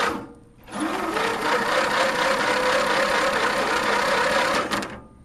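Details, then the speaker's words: Mastercraft race tractor, very high-compression engine cranked with the spark plug out on a weak battery, drivetrain stuck in gear: a sluggish, steady whirr about twice a second for four seconds, never firing. Slow crank, no start; cause unconfirmed. "seems like it's spinning a little bit quicker this time"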